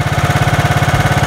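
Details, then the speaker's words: 1990s John Deere RX73 barn-find riding mower, little run, restarted with choke on and throttle fully up: steady heavy slightly lumpy beat, about eleven pulses a second, sounding rich; choke or adjustment suspected, not confirmed. "why does it sound rich all the chokers are throttle all the way up"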